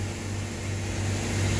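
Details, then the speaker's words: Mitsubishi 4-ton split AC outdoor unit, customer complaint of noise: heavy low droning hum with rough vibration underneath; the fan motor mounting stand is broken, causing the vibration, after an earlier steel repair. "ये motor का देखो, जो जिसमें motor stand होता है, ये इसका जो होता है स्टैंड, ये टूट गया। देखिए मोटर का स्टैंड जो है, जिसकी वजह से वाइब्रेट हो रहा था।"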